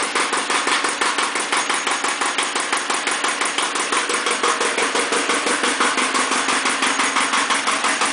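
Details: Iseki TX-series tractor diesel (KE70 engine) fired up for a blow-by check: steady, even chug about three beats a second with no misses or knocks; healthy idle despite slight blow-by.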